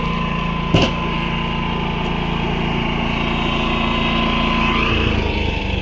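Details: Predator 11,500 W inverter generator powering an inverter welder: steady drone with constant whine, a brief thump, then a slight pitch dip, holding speed under welding load; healthy, holds the arc well.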